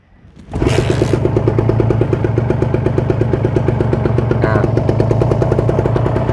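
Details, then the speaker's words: Kawasaki Ninja two-stroke being checked before purchase, cold: starts at once and settles into a fast, even rattle with idle raised above 2000 rpm, a sign the choke is ready to be shut off. Smooth rather than rough, a normal cold start. "rpm nya naik dulu naik yang tadi atas 2000 berarti dia sudah bersiap dimatikan cupnya"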